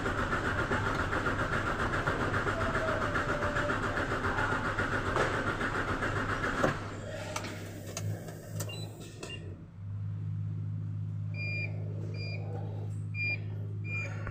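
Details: Hino 700 Series truck with E13C engine: starter turns the engine over with a steady churning rhythm for several seconds but it never fires; cranks without starting, problem later solved.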